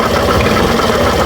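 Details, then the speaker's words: Suzuki Burgman Street scooter: a rough, scraping, saw-like grind rides on the engine note and follows each throttle blip, from the CVT torque drive area; torque drive bearing suspected, not yet confirmed. "Parang may sumasabay bawat pihit niya mga boss na parang nilalagari. Ah ito ah pakinggan niyo. So pigain natin mga boss. Yun yun oh. Yon parang kumakaskas dito sa banda mga bossing sa turk drive niya."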